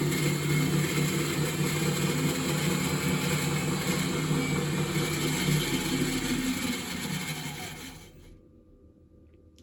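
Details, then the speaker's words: Miele WS5073 professional washing machine, after fixing hose hitting the drum spider/rear pulley: drive motor runs with rough buzzy drone and steady churning rhythm, winding down as it stops; motor sounds noisy, cause not confirmed. "problem to remedy the hose was hitting the spider the pulley on the back the motor doesn't sound great at all"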